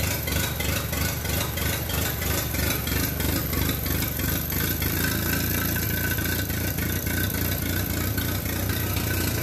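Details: Minneapolis Moline BF tractor engine after in-frame rebuild for heavy blow-by (suspected ring job), running: steady even low thump about three and a half beats per second, no knocks or misses; sounds smooth and healthy.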